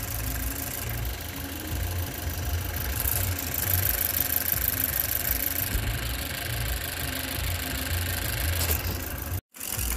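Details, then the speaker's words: 2018 Chevrolet Cruze 1.4L turbo at idle with codes P0300 and P0201: a lumpy, uneven idle with a skipping beat as cylinder 1 drops out. Voltage is present, but the scope shows the injector never fires, so the cylinder 1 injector is bad. "so this one since we got our voltage our issue is our injector our injector is bad isn't that crazy we got a bad injector"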